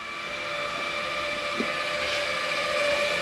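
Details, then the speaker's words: Flagstaff 27BHWS travel trailer stabilizing jacks retracting: even electric motor hum with a steady whine holding pitch throughout, no grinding or stalling. Normal jack retraction. "it's good to close your hot water heater as well bring up our stabilizing jacks just by hitting retract"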